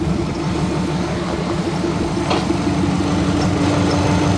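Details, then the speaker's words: Subaru Legacy with 2.5-liter boxer flat-four (owner thinks about 155 hp), idling after a brake repair: steady, even low rumble with a smooth regular beat, no knocks or ticks, purrs like a kitten; normal idle. "Purrs like a kitten."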